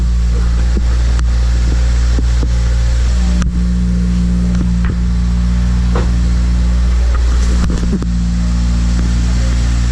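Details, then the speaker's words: Toyota Celica just started for first time after wire tuck, smoky, coolant needing top-off: low steady engine drone with a few brief throttle blips climbing in pitch; runs evenly, no knocking or missing; normal running. "Yeah. Smoky. It's not been started in minutes."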